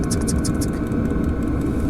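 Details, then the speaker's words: Webasto diesel heater in a camper, set to maximum power (5 and 4), battery at about 12.2 V. Quick ticks of about six per second from the fuel pump sit over a steady low roar. Normal operation at full power. "what would happen if I set it to the maximum 5 and 4 maximum power, not much has changed here, the pump is ticking like"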